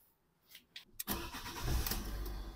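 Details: 2013 Fiat 500 engine after thermostat replacement for overheating and coolant loss, with the battery reconnected. A couple of short starter turns, then it catches within a second and settles into a smooth, steady run: a clean, healthy start.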